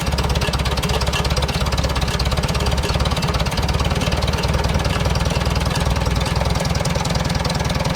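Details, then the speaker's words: 1947 Farmall A four-cylinder tractor idling after idle jet adjustment, following a battery drained by an ignition switch left on: steady, even low thumping, no misses or knocks; smooth, properly set idle. "I get about right there. That sounds real good for idle."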